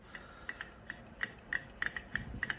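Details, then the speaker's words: Peugeot 207 alternator being replaced: hand-turning the pulley gives gritty rasps about four times a second and it won't freewheel; the bearing is rough and the overrunning clutch pulley is seized. "definitely got to go ahead with the actual alternator because that sounds terrible so that's definitely gone shot"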